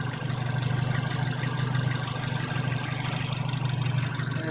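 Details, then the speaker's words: 2001 Dodge Neon after aluminum radiator replacement and transmission fluid leak fix: smooth, even low idle hum, no misses or knocks; running great with no leaks. "And we're finished, guys. She's running great. No leaks."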